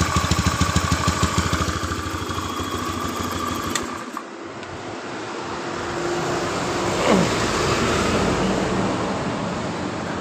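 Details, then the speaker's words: 2013 Honda Beat FI scooter with high fuel consumption, fuel pressure only 20 PSI: lumpy, pulsing idle that dips, nearly stalls and recovers, sounding flooded as if choked. It is running rich from a leaking pressure regulator; another shop blamed the injector. "Perhatikan dan dengarkan di bagian dari tpnya ini terasa di bagian dari Kendal POnya ini terasa kayak motor memang kelebihan bensin atau bahan bakar kayak tercok kayak motor kecok ya teman-teman"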